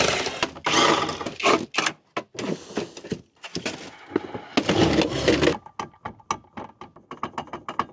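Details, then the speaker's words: BMW E36 drift car, driveshaft being checked: irregular metallic rattling and clatter when clutch released, absent on throttle, loudest at front left of driveshaft; loose driveshaft collar rattling against shaft. "That's the noise. So, like when I let go of the clutch, it it makes that noise. But if I'm on throttle, it won't make that noise."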